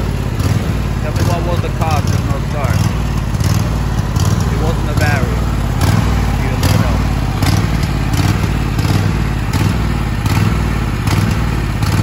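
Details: Troy-Bilt Super Bronco XP 24 hp riding mower, 50-inch deck, bought as a no-start, with fresh battery fitted: engine catches and holds a steady low drumming idle with no misses or knocking; runs normally.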